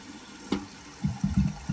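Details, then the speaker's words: Toilet after flapper gate replaced and sealing: handle lifts flapper, water drains, flapper drops back; short splashes and low gurgle of tank refilling with no hiss or trickle afterwards, normal flush and refill, no more running water. "when you flush the toilet you flush your handle it lifts up that flapper gate and that flapper gate is actually meant to stay up for a certain portion of time but then once the water goes out of it it drops right back down and"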